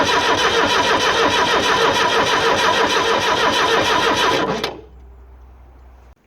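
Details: Abandoned Fiat Hitachi FH150 excavator diesel, engine just freed up: the starter churns steadily at about three turns a second for four seconds and never catches; cranks but won't start, with no fuel delivery to the injectors suspected.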